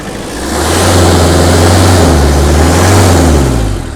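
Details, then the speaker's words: Hyundai Terracan diesel after injector seal replacement, revved: loud rushing hiss over the engine note that dies off as revs drop. A major boost leak from a boost pipe. "That's what I mean by if it wasn't put on properly, you'll have a boost leak, and that's a major boost leak."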